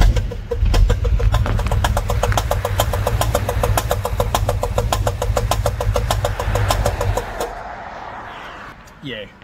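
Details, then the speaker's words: Solid-cam V8 coupe that broke down on the road and cannot be driven: a sharp, regular ticking knock about six times a second over the idle until shut-off. Source unknown; the owner checks under the rocker cover. Engine knock. "started faking it's a pretty bad noise um i do not know what it is at all so i'm chilling here along taples hill road and um yeah sounds pretty bad um yeah it sounds like a bit of a knock"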